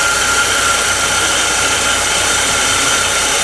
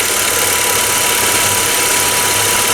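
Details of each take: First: 2011 Ford Ka 1.0 Zetec Rocam, brought in for a noise on first start: an even, steady three-cylinder hum at constant pitch with no knocks, ticks or misses. Normal idle. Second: 2011 Ford Ka 1.0 Zetec Rocam, running on ethanol, at first (cold) start: harsh, rattly running with a metallic knock through the idle. The car had overheated and had cylinder head work before.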